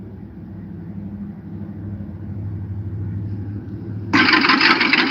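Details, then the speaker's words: Carbureted V8 in a dump truck with cylinder 2 and 7 spark plug wires swapped: rough, uneven idle, then a sudden loud sputtering backfire through the carburetor, spitting fuel, as the throttle opens. "this video is actually with my stupid ass having cylinder number two and cylinder number seven spark plug wires Twisted so you saw the fuel shoot out the carburetor and you hear it backfiring yeah cuz spark plugs are igniting on two cylinders when they're not supposed to"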